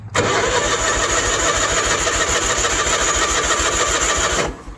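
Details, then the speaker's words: 1986 Ford F8000 (Cat 3208 V8 turbo diesel listed), sat about 8 years, choked on gasoline with a strong battery: steady cranking at about 3.5 turns a second, never catches. Fuel filter slowly fills. "Well, there's no fuel in the fuel filter. Oh, it is too, it just filled up."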